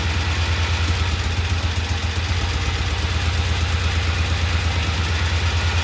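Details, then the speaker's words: Vintage Norton twin on its second start after oil was added to the primary case: settles into a steady, even idle with a regular low beat and no chain clack. Earlier clacking is gone, sounds healthy. "Let's put some oil in the primary and see if the noise goes away. That sounds so good. Get rid of that clacking noise."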